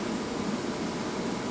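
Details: ABB demo rig: drive at 50 Hz (mains) running motor and fan, mechanical damper partly closed to throttle flow; steady rushing air with ragged fluttering roar, turbulence, volume slightly reduced.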